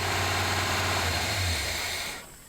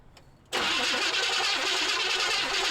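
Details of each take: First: 1978 Chevy C10 running after 4–5 gallons of fresh gas were added. A low, steady V8 rumble at idle for about two seconds, then it is switched off. Normal idle. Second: 1978 Chevy C10 Square Body after adding 4–5 gallons of fresh gas: starter spins evenly about six seconds, pauses, cranks again, never fires; crank no-start, cause not confirmed.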